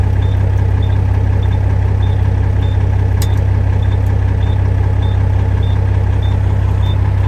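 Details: International 9370 truck diesel just started after sitting, idling to charge the batteries; short high beeps about twice a second over a steady, deep idle, warning buzzer active, cause unknown.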